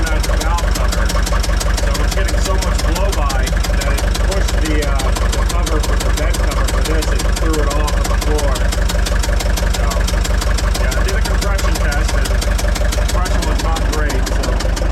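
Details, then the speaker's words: Gehl 6635 SXT II skid steer diesel bought at auction, white smoke from the back corner; heavy, lumpy idle with a steady chuff about three a second; compression as low as 150 on cylinder one against 400+ spec, rising with oil added, low compression with heavy blow-by. "looks like it'll idle for me but it's not happy about it yeah you can even hear it it sounds it sounds bad"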